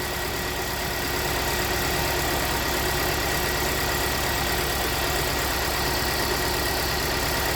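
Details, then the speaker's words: 2017 Hyundai Santa Fe Sport 2.4 at idle with code P0301, cylinder 1 misfire: a slightly uneven, lumpy beat from a dead cylinder, linked to an oil-fouled number one spark plug in an oil consumption check. "so we got a P0301 so we're gonna go to misfire"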